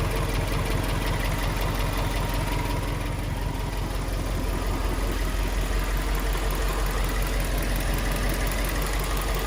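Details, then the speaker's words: Subaru Liberty B4 twin-turbo at steady idle: uneven light rattle about three per second over the engine, source unclear; owner suspects heat shield near top of turbo or something timing related, checking where it sounds loudest. "Well, this sounds like it's coming from here. Could be something timing related?"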